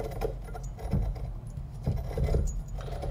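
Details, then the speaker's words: Precision 5858 journal-bearing turbo removed from an Audi S4, wheel turned by hand: rough metallic scraping and rattling, catching and sticking; shaft rubbing metal on metal, turbo bearing failed, to be replaced with a Pulsar GTX3076R ball-bearing turbo. "so that's the noise of some metal on metal contact and i'll get you guys a little closer so you can hear it a little better"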